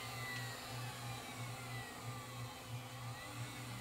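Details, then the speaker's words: 1981 RCA VET650 VHS VCR, powered up after sitting overnight: fast high whir with a faint regular pulse, head drum running way too fast with scrambled picture; drum servo fault, capacitors in sample-and-hold circuit suspected. "okay that head drum sounds like it's going way too fast and we have a nicely scrambled pitcher"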